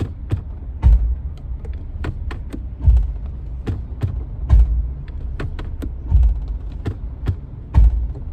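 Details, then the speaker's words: Nissan Pathfinder driving: loud irregular deep clunks and creaks roughly every couple of seconds once engaged; driveshaft found wobbling on lift, worn U-joint replaced. "soon as I engage it and I drive you hear that noise you hear that yeah it's so loud"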